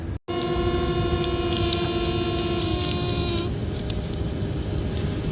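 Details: Furnace blower with a brand-new MERV 8 air filter; a steady whistle over the blower cuts out, leaving only an even rush of air: normal airflow after fixing the noise.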